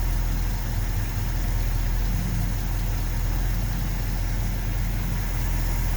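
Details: 1970 Ford F250 with a 360 V8 and carburetor, plugs cleaned and regapped to about .042 with one new, warming up: a deep, loping, uneven idle. The owner suspects a vacuum leak because adjusting the idle mixture screws changed nothing.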